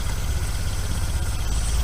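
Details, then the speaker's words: Mk1 VW Rabbit 1.7L just warming up after cat delete with a roughly welded pipe: low, lumpy idle with a fast puffing tick on each firing pulse; the welded joint leaks exhaust. "alright so we just half-ass welded that on there I mean it's like kind of mint but it definitely still has some leaks in it so I'm gonna start it up and we're gonna see how bad"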